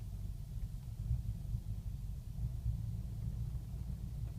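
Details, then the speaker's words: 2005 BMW 645Ci E63 N62 engine, first cold start of the day (about mid-70s outside): low uneven rumble with heavier lurches, almost stalling, car shaking, tach erratic, engine malfunction warning; rough idle, cause undiagnosed. "this will all settle down once the engine warms up to uh operate operating temperatures normal operating temperatures but it's almost wanting to stall right now it's that"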